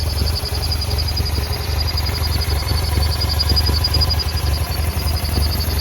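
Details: 2009 BMW F800GS at idle: uneven, stumbling idle with irregular beats and dips, also cutting out in traffic; vacuum leak from one torn idle speed actuator hose and one broken off the air box spigot; fixed with new hoses.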